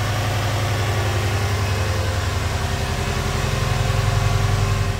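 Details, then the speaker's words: Rare Japanese twin-turbo flat-four 4x4, started on jump leads after years stored in a barn; deep, smooth, even idle with a steady low rumble, no knocks, ticks or nasty engine noises; idling healthily. "i can't believe how quiet it sounds it's just absolutely perfect there's no nasty engine noises it's just burning away absolutely beautiful"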